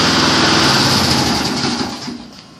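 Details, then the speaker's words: Junk mower rescued from the trash: it started on one primer push and the first pull, buzzes evenly with no misses or knocks, then winds down cleanly; normal running. "as you saw there one push of primer first pull fired right up"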